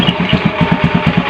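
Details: Honda Beat carbureted scooter, cold engine long unused, started after repeated attempts: steady putter at roughly seven beats a second with no misses or stumbles; running evenly.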